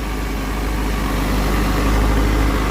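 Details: Motorcycle left idling after rewiring the rectifier past a burnt connector, charging about 14.4 V, checking for voltage spikes. Low, steady idle with even beat, no ticks, misses or rattles; runs smoothly.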